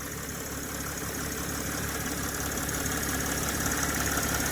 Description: My ML320 Drives OK, but when the engine is idling and I rev the engine, a rather horrible deep grumbling noise - from the front end - comes on towards the latter part of the revving cycle.